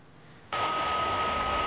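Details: PlayStation 4 Pro running Warzone online: loud steady rushing roar with thin whistle, fan at full speed from overheating; inside found dust and completely dried-out thermal paste.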